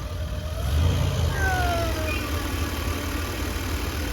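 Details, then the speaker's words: Chevy G20 conversion van: engine swells briefly then settles into a steady, even idle with no stumble; a big difference from before, when it sounded like it ran on six cylinders, good oil pressure. "That's That's a big difference, too. It's already running. It sound like it was running on six cylinders before."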